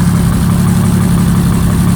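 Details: Abandoned rare Jaguar XJRS V12 on its first run after a long struggle, fed by an external fuel supply with the return still connected and a spare battery. Loud, steady, even idle with a deep smooth drone and no misses or knocks; normal idle.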